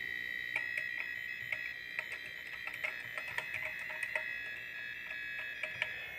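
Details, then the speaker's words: TI-99/4A console probed near the keyboard with a signal-tracer pickup: irregular sharp ticks and chirps over a steady high buzz, one burst per key press, from keyboard scanning electrical noise. "let's try hitting a key and see you can clearly hear that characteristic sound of pressing"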